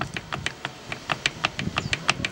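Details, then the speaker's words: Suzuki Samurai Trail Gear 4.9:1 transfer case, opened on the bench: sharp bright clacks as gears are rocked by hand; owner believes poor, sloppy input-to-countershaft gear engagement causes the clacking. "but again the engagement with these gears is very sloppy and loose"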